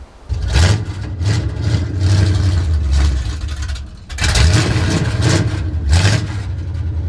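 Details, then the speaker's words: 1970 Chevy C10 truck, parked 10 years, revived and now driving: very loud raw blips and revs with crackly roar, completely unmuffled; running with no exhaust system fitted, needs one. "it needs an exhaust because she is loud and i mean loud i guarantee you the neighbors hate me"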